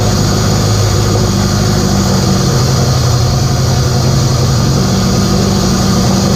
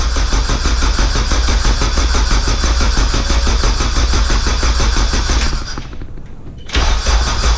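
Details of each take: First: K24a2-swapped Acura Integra first start after injector issue fixed and reinstalled, open downpipe, radiator off: catches and holds steady even idle with loud raw exhaust rasp, no knocks or misses; normal idle. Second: K24a2-swapped Acura Integra first start attempt, after dead battery, open downpipe, radiator off: engine cranks steadily about three beats a second, pauses, cranks again without catching; no-start later traced to an injector issue.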